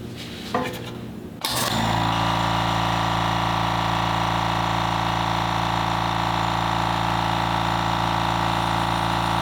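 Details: Fortress 6-gallon air compressor on a table, phone decibel meter between compressors (background about 36–37 dB): a click, then start-up settling into a steady, even motor-and-pump drone at constant pitch; normal running.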